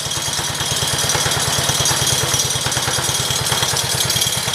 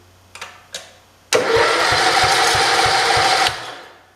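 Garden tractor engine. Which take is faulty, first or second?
second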